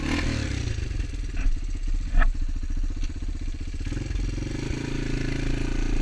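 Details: Honda XR200 single on its first test ride after a full transmission rebuild and other new parts: pulls up cleanly through the revs with an even, steady beat and no clatter, sounding healthy; rider says everything felt smooth.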